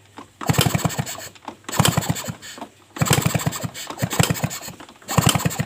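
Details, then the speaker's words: Suzuki RC motorcycle hard to start, especially mornings; repeated kick-start bursts, engine turning over in quick uneven chuffs and dying, never catching; spark at plug present but weak, blamed on ignition coil; no start. "Ya teman-teman apinya sudah keluar dari busi tetapi api apinya kurang besar ya"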